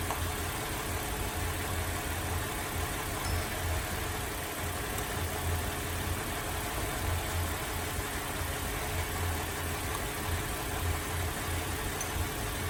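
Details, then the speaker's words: Holden VZ Adventra Alloytec V6 with an uneven idle stumbling every couple of seconds during the coil-unplug test; dead cylinder traced to a failed number 5 ignition coil pack needing replacement. "Alright, so it appears that our number 5 coil pack has said bye-bye and it's time to replace it."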